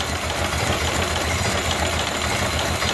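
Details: Ford Model A four-cylinder run with the fuel cut off at an in-series gas switch to empty the carburetor bowl; chugs unevenly with a ragged, hesitant beat as it runs out of fuel and stumbles toward stalling: fuel starvation stumble.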